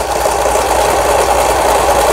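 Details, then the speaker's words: Lion-sold Janome LR1600 sewing machine after repair of a misaligned pattern-selector gear and loose pulley screw, overlock stitch test on fabric edge, bottom cover off: fast even mid-pitch whirr with no knocks or catches; overlock succeeded, repair good, normal run. "다른 게 중요한 게 아니라 오버룩 스티치가 정상적으로 박음질이 돼야 돼요. 지금 보시는 것처럼 이렇게 옷감이 풀리지 않도록 오버룩 바느질에 성공했습니다. 이러면 수리가 잘 된 거예요."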